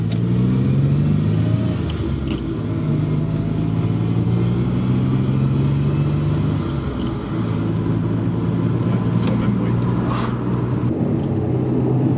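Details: Maserati Biturbo 4.24V (V6 twin turbo) driving after restoration: low, persistent drone rising and falling with road speed; a failed rear wheel bearing is suspected, not confirmed.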